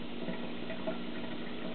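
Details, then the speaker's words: 12V DCC-1 PC water-cooling pump emptying a five-gallon bucket: steady mid-pitched hum with a faint rattly tick and water rushing behind it, as noisy as the other pump; flow measured at about 1 gal/min against a claimed 2.5. "so this is a same thing it's noisy as the other"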